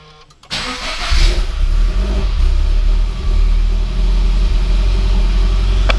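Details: GT86 refitted engine with new forged pistons, rods, valve springs and oil pump, first start after refilling empty fuel lines: brief crank, then it catches and settles into a firm, even idle with a small rev; clean start, runs healthy.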